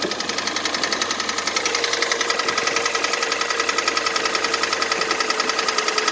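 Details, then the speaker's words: 2014 Kia Cerato 3, 2.0 petrol, about 143,000 km, cold start under hood: steady sharp metallic knock, first thought lifters but characteristic piston knock; diagnosis found scoring in cylinders 2 and 3, knocking for about 1,000 km. "я поначалу думал кто гидрокомпенсаторы и java характерный стук поршней слышно"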